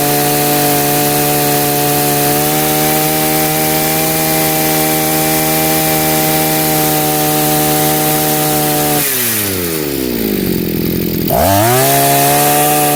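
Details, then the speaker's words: Chinese two-stroke brush cutter after carburetor adjustment: a steady high-pitched buzz holding even revs at full throttle, then a clean drop and quick pickup with no bogging. Spark plug stays dry and red, fuel burns well, idle good: running normally. "Acum funcționează bine și lumânarea va fi mereu uscată și roșie. Combustibilul va arde bine , nu va da pe dinafară."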